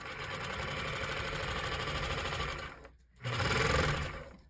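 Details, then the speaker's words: Techsew 202 fur sewing machine before fitting a 3-to-1 speed reducer pulley: fast steady needle-drive clatter, brief stop and quick restart to full speed; motor engages abruptly, machine runs too fast to control material. "So I'll show you what this speed is a little too much, and then it goes really fast and it's hard to control the material that you're working with."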